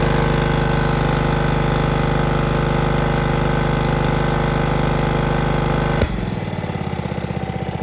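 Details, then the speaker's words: Hookah diving air compressor, built to about 150 psi from a dead start, held wide open, then bled down. Steady loaded drone for six seconds, then a sudden drop to a lighter even idle as it kicks off at pressure: normal unloading. "i'll bleed it down just to where it needs enough to kick off"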